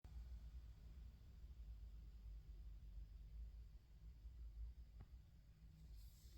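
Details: Goldmund Telos 300 power amplifier: a steady, deep low-pitched hum that never changes in a quiet room; the hum is severe and its cause is not yet known.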